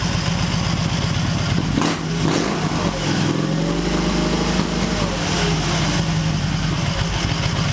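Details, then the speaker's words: Excelsior-Henderson Super X V-twin being tuned for stalling: uneven lope after a blip, beats bunching and sagging as revs dip to 500–700 rpm toward stall; lumpy idle from incorrect fueling. "see that 5 6 700 that's pretty lumpy right in there it's not as bad as it's done in the past"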